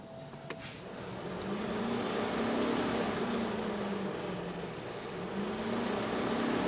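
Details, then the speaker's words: Fiat 500C (Cat S rebuild), radiator cooling fan run at second speed from a diagnostic tool: steady whoosh with a wavering hum and soft ticking about four times a second. Owner suspects the fins are hitting something. "a little bit noisy I suppose it sounds like maybe the fins are hitting something we'll have to have a look at that"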